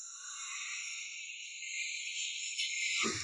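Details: Volkswagen (Magotan-type) at idle, wheel turned: high scratchy creaking on the right side with heavy steering, from a worn strut top bearing; a broken spring was also found.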